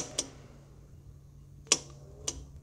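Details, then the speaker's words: HVAC training board, 24V thermostat circuit reading about 29V with a fault in the common wire: three sharp, irregular clicks over a faint hum from an intermittent bad crimp connector; fix is to replace the wire or crimp. "that's a problem inside one of our crimp connectors. So we would go ahead and replace this wire or cut it and add on a new crimp connector."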